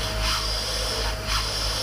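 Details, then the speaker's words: 30ft powder tanker Isoveyor unloading, final checks with aeration beds open: compartment one discharge gives a steady hollow rush of air with no gritty product noise, only air going down, so the compartment has emptied. "Department one it from yeah I just hear air going down there that's fine"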